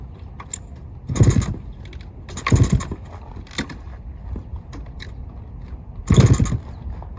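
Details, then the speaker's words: 1972 Suzuki TS185, not run in about 30 years, new carb, fresh oil, in neutral; four kick-start attempts each dying without catching, spark not yet checked, owner suspects no spark, later traced to CDI. "one probably just don't have spark honestly that's the one thing I didn't check yet on this bike I'm sure that that's the issue"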